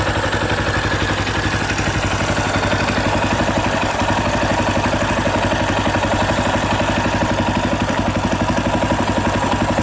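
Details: 2018 Yamaha Tricker XG250 at idle: fast, even metallic clatter over the engine thump from a slack cam chain; loose cam chain tensioner, before tensioner adjustment.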